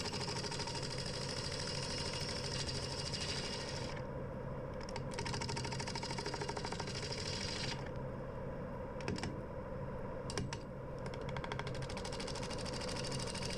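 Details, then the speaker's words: Wood lathe turning an ash bowl at its normal 800 rpm: a steady drone with a low throbbing hum that swells as resonance builds. Owner suspects his home-made box-section extension, with unwelded sides, is causing it. "you can hear it when it starts to build that resonance and I was in the middle of the tour West there which leads me to believe it's the extension I've made that's giving me the problems"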